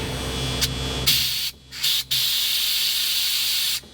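A strong, even hiss of air comes in bursts with short pauses as the bags fill; the air suspension is inflating normally.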